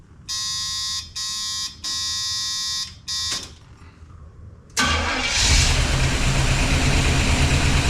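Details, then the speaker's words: 1976 Pontiac Firebird Esprit 350 V8, first start in months after reseal, fresh 10W30 and ATF: steady chime warning, then starter catches and settles into an even, smooth idle with no knocks or ticks; oil pressure strong at 60 psi. "That's working. Okay. Oil pressure is really good."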